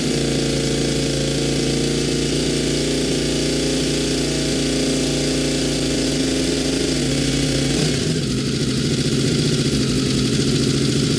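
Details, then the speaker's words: Honda VFR750 V4 after a carburetor rack install, with fuel screws at stock setting: a fast, steady idle that won't drop, the tone shifting near the end but staying high; owner suspects a fuel-supply problem in the carbs, not yet found. "i can't get it down it just wants to run run high so there's got to be a problem in the fuel supply at a given throttle position"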